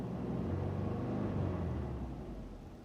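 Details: 2005 Subaru Legacy GT, EJ255/EJ257 flat-four at 108k miles before a rebuild: a lumpy, rough idle with an uneven pulse about four times a second, a typical misfire whose cause is not yet found.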